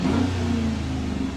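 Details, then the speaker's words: Engine runs smoothly after installing a Jet Power Control Module performance chip and reconnecting the battery: short clean rev rising and falling with no misses or knocks, no check engine light; normal running. "Sounds good, running good. No check engine lights."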